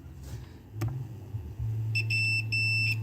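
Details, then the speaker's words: 1939 Ford 9N distributor points tested with multimeter on continuity; clear high steady beep in short bursts as leads touch, though closed points later show no continuity. "So it should beep if we've got continuity across the points."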